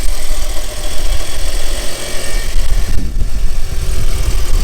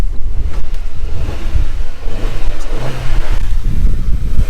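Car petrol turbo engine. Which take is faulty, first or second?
first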